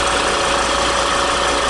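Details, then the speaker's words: 2014 Volvo XC70, about 150,000 km, after replacing the drive belt, faulty tensioner and seized alternator overrunning clutch: petrol engine idles smoothly and evenly with no squeal, chirp or rattle from the belt drive. "проверили на звуки подшипники звуков посторонних нету все собрали назад сейчас запускаем мотор проверяем как работает"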